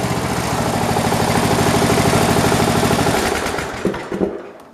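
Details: Poulan Pro 300 EX lawn tractor (believed 2006), throttle opened from a smooth, non-surging idle: a fast, even firing beat at high revs with no surging or misses, then it winds down smoothly. A healthy engine.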